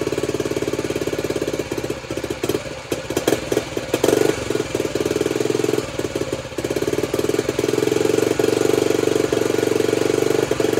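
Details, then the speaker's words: Restored Honda CT90 with stock engine and new wiring harness, first start after possible flooding: single-cylinder putter settles into a steady, even idle after some uneven firing at first; healthy. "Idle's nice. Oh yeah. She's ready."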